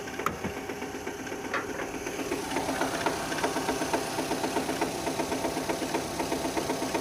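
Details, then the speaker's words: 2006 Renault Scenic with the K4M 1.6 engine and automatic, about 202,000 km, cold idle: a sharp metallic ticking of about four per second, coming from below. The owner says it fades as the engine warms and another noise appears. Cause unknown. "Автомобиль Renault Scenic 2006 года. Двигатель К4М. Вот такой звук. На холодную."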